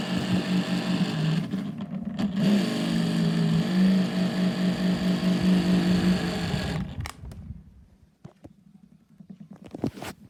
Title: Prinetti desk fan with bad bearings